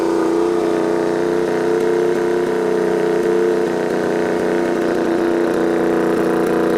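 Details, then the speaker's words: Turbocharged Royal Enfield, tuned custom build, warmed up and revved: clear high turbo whistle following the revs over a steady engine note, described as brutal and beastly; normal spool. "T'entends le sifflement? Il y a une forme de bruit, ça fait un peu peur quand même, une espèce de brutalité, de bestialité dans les sifflements."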